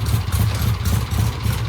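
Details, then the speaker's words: 1967 Triumph vintage motorcycle: uneven idle breaking up badly with irregular missing beats and sputtering bursts; misfire traced to a clogged pilot jet. "Doesn't sound great. That's Kevin's car. Ain't it pretty? Yeah, it's breaking up pretty bad. I can hear it."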